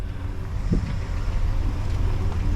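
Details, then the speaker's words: 1967 Ford Galaxie 500 V8, after carburetor and vacuum leak trouble: low, smooth, quiet even idle with no hiss or stumble, though a slight valve knock is noted on one side; normal idle. "And this thing is quiet. Can't even hardly even tell"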